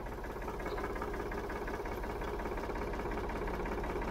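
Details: 1965 Ford 3000 diesel tractor, first start after sitting about 10 years, jump-started with brake cleaner: loud, harsh idle with a steady rapid clatter near three knocks a second over low rumble; very noisy but running, cause unknown.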